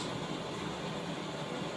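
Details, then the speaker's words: 1917 Blackstone 9 hp hot-bulb engine, 1¼ tons, 6½ in bore, runs on household heating oil: modern blowlamp heating the vaporizer bulb before hand starting gives a steady, even roaring hiss with no pulsing. Normal blowlamp preheating. "the noise you can hear is the blow La heating the B vaporizer and Readiness to start the engine we're using a modern Gas Lamp but in front of it you can see the original gas burner that was supplied with the energy"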